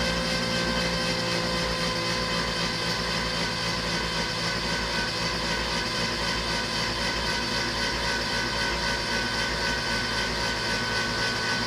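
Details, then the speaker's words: Porsche 911 Carrera engine after a major rebuild, cranked before first start with spark plugs out and injectors disconnected to prime and check oil pressure: a fast, even whirring crank with no firing and no compression pulses. "So the spark plugs are out to sort of, allow it to build pressure with a high cranking speed and no pressure on the rods or anything."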